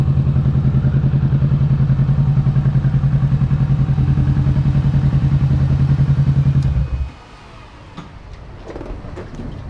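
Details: 2022 Kawasaki Ninja 650 ridden with windscreen removed: steady low thrum about 3.5 pulses a second, then engine cuts; no fairing buzz or rattle, confirming windscreen caused vibration; normal running.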